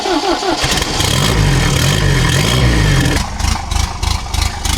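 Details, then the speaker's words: 1969 MGB with junkyard turbo, new head gasket, after setting loose valve lash (about 25 thou vs 14 spec) to cure knock: cranks, catches and settles into fairly even idle with no tapping. "That didn't sound too bad. Let's do a oil check."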